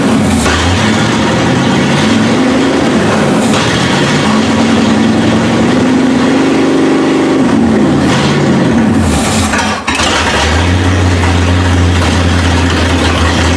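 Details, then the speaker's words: 1971 Ford Ranchero V8, first start with fuel and spark, catches and settles into a lumpy, hunting idle, hitting on all eight; running full rich because the choke is stuck closed, carburetor probably needs a rebuild kit. "the problem we're having right now is it's just running full rich because the choke won't open so well either carburetor probably needs some attention you know a rebuild kit or something"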